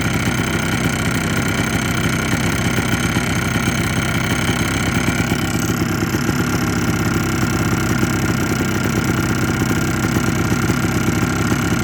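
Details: 2004 Blaster two-stroke: buzzy idle with a light, quick rattling tap on the exhaust beat; suspected piston slap, owner plans a top-end rebuild, cause unconfirmed.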